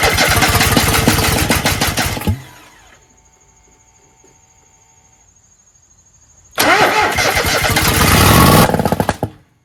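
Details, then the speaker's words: Kohler 26.5 EFI ECV749 V-twin on a Toro Z-Master 5000, first start after rebuild and reinstall, mid throttle, no choke. Cranks, briefly catches rough, dies, then bursts into sharp pops. Backfire on starting; smoke came out of the air cleaner. "So, it was promising for a second until it went bang. And then things didn't sound good coming out of the muffler. Wouldn't you agree?"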